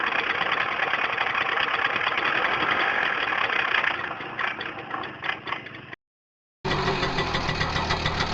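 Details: Tomos two-stroke moped at idle: buzzy idle with a loose, clattering rattle that comes and goes as revs dip; clutch rattle.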